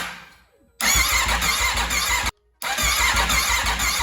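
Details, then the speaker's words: Wrecked 2021 Aprilia RSV4 being rebuilt, after topping up oil: two bursts of even, fast starter cranking with steady pitch, no clicks or grinding, not firing; it intermittently only clicks instead of cranking. "it's so funky it only sometimes wants to crank over and Prime and then sometimes it just clicks"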